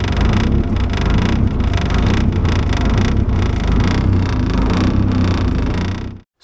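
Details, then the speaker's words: E85-fueled engine on a standalone ECU before startup and idle tuning: loud uneven rumble with ragged irregular firing right after cold start, then cuts out; rough, unstable startup. "first only take a listen to that startup from my previous video and just kind of hear how rough it was so you can see what we're dealing with"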